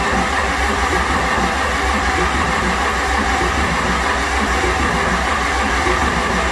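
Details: 6.9 IDI diesel from a 1970 International Travelette, heat-soaked under a tarp, injector lines loosened for bleeding, fuel shutoff solenoid clicking, starting fluid sprayed: a labouring, irregular crank that never fires.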